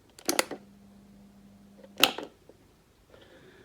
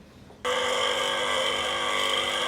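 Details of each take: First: Single-phase 230 V three-wire AC motor driving a diesel/fuel-oil pump, unused about two years: switch clicks, then a steady low growling hum with no run-up, motor seized and stalling; must be switched off at once or it may burn out. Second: 230 V single-phase AC motor driving a diesel/water pump, idle about two years, cleaned and reassembled, tested open; it starts abruptly and settles into a steady, even hum with a constant whine. Normal motor running.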